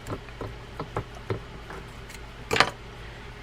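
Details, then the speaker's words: Maxel Hybrid 20L fishing reel during reassembly after service, handle used as a wrench to tighten down: sharp, light clicks about three per second from the noise maker, uneven with handling taps; normal drag clicker. "have the handle as a wrench tighten it down and you'll hear it's tightening because you'll hear the noise maker"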